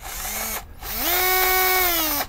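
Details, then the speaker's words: Parkside PBSA 12 D4 12V cordless drill with 2Ah battery, two trigger pulls with rough gritty grinding over motor whine; housing hot, plastic pieces ejected through vents, cooling suspected failing after driving large screws. "I start to feel heat coming from the housing And I don't like this sound at all Something is grinding inside This drill is"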